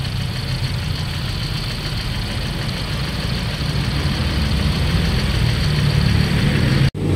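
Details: Toyota Vios Dual VVT-i fueled with diesel, which caused white smoke; after new spark plugs and filter it vibrated heavily. Uneven, lumpy idle with a heavy low throb that shakes; low cylinder 3 compression.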